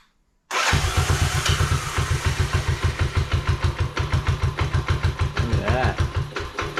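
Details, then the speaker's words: 1986 Honda Fourtrax 125 test fire after carburetor cleaning and new fuel line: engine catches at once and settles into an even, steady thump of about three beats a second, running cleanly; normal running. "road yeah that sounds great though"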